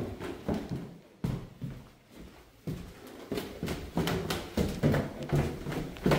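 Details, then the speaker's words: Heard through supply pipes on the first floor while a third-floor fixture runs: loud dull thuds about once a second, unevenly spaced; serious water hammer, suspected to be a broken washer in the angle stop feeding the supply hose. "That it's some serious water hammer. But I'm almost positive that it's in the angle stop."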